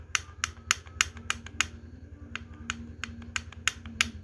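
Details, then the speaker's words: Yamaha RX King engine during assembly, clutch housing not yet done; sharp uneven clicks about three a second as the part is rocked front-back and side to side by hand, excess play and rough noise inside the engine. "Goyang Kiri Kanan di depan belakang goyang dan menimbulkan suara seperti ini"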